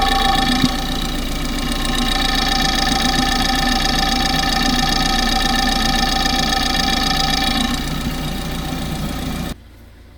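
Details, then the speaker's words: Normal injector ticking, listened to through a piece of pipe or hose used as a stethoscope and recorded on a phone: light, fast, regular ticking about four per second over a smooth idle, with nothing rough underneath. "Now what we're going to do is listen to the injectors, because that's going to be quite sick."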